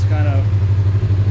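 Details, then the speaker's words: Freshly installed new motor, now with exhaust fitted; smooth, even low rumble with a steady beat, no knocks, ticks or misses, exhaust much calmer; engine light is on: normal idle. "that is wild how much that exhaust calms that down"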